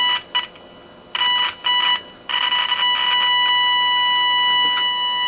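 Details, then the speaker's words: Tenma injector tone moved to a later stage of an Elenco AM/FM-108K radio kit: a steady high tone comes through in bursts, then holds clean and nearly as loud, slightly lower partly because of AGC; the stage is passing signal. "the volume seems almost as high as it did earlier it actually is a little bit lower but partly because of the AGC action of the receiver"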